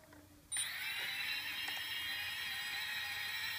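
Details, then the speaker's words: Quadcopter brushless motors on Afro Slim ESCs with SimonK firmware (same with BLHeli), both right motors connected: high whine that keeps wavering and warbling instead of holding steady; the oscillation stops when either is disconnected, cause unknown, new ESCs ordered. "and you can hear that oscillation so if anybody has any ideas I'd really appreciate it"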